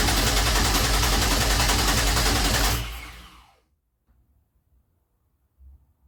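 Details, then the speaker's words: 2004 Grand Am, 3800 supercharged swap, first start attempt, intake boot removed: steady starter whir with even compression beats about 3.5 per second, never catching. Cranks without firing because the key was off. "No. Alright. The key wasn't even on. No wonder it wasn't trying to spark."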